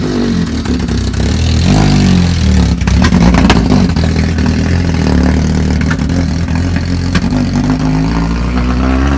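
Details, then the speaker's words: Honda Civic EG after swap to used D16Y8 engine, first start: uneven revving with irregular sputter and stumble on throttle, never pulling smoothly; misfire, owner plans to replace the distributor since engine ran perfectly in donor car. "you heard there at the end like the car runs but it is sputtering a bit"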